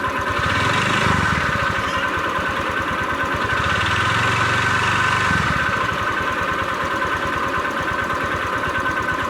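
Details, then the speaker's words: Honda Vario 125 with a worn connecting rod, after an oil change with oil treatment and Shell 2050 oil: a rapid knock at idle, about three per second, over the engine note, which the treatment did not quiet. "Jadi kalau menurut gua oil treatment sama oli 2050 nggak bisa ngobati untuk yang stang seher rusak ya. Jadinya memang harus diganti stang sehernya, dan suara itu juga nggak meredam untuk suaranya, jadi tidak berisik."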